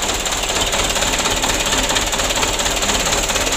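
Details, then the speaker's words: 2008 Mitsubishi Canter 125 diesel with the cab tilted, before any adjustment. Reported idle shake, long cranking and lack of power. Lumpy pulse of about two per second with a rattly top end; slight rough idle, cause undetermined. "goyang Ya cuman goyangnya enggak gitu parah lu ya juga seperti kantor yang lalu"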